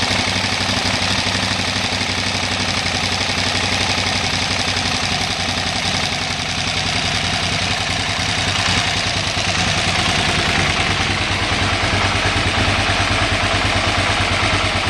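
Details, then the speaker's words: 2008 KTM 990 Adventure that won't idle unless in neutral: V-twin idling near 1450 rpm with fuel pressure at four bar sags lower and lumpier once the neutral switch is disconnected, dropping below 1100 rpm and nearly stalling. "So, I'm going to disconnect this switch and then you'll hear the idle RPM drop shortly thereafter down to the 1100 RPM."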